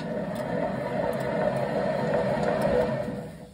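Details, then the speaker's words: 2015 Chevy Malibu hub spun by hand with caliper and bracket removed: rough gritty whir fading as it slows, dry worn wheel bearing, before hub replacement. "you hear that dry bearing sound that'll kind of sound like a 747 airplane going down the road"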